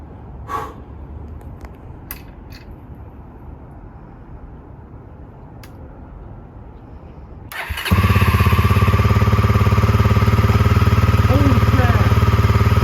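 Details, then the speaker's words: 1989 Honda NX250 single-cylinder after restoration; quiet until the starter catches, then an even steady beat at idle with a few throttle blips: normal running. "Okay, we got some work to do, but bike runs."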